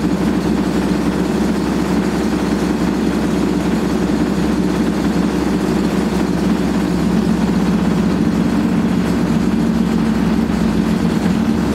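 Steady loud roaring rumble through the whole spin, no let-up; that's badly worn drum bearings growling under load.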